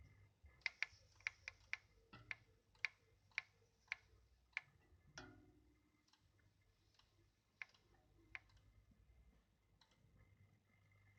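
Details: Tacx Genius Smart bike trainer in use: sharp, regular clicks almost twice a second over a faint hum.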